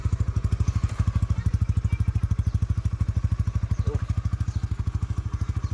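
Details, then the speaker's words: Honda Winner X 150 single-cylinder, nearly two years old, oil changed every 2,000–3,000 km with Shell Advance: steady, even thumping idle about three beats a second, no ticks or knocks; sound unchanged, healthy. "So pakinggan nyo yung tunog, ganun pa rin. So walang nabago"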